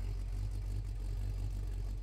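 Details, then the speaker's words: 1970 Oldsmobile Cutlass mild V8, revived after 15 years, listened at rear exhaust: low, steady burble, even beat, no lope or chop, sounds like a boat; slight chop only if fuel pump cuts before stall. Normal idle. "No real, sounds like a boat, dog. There is no chop to be found."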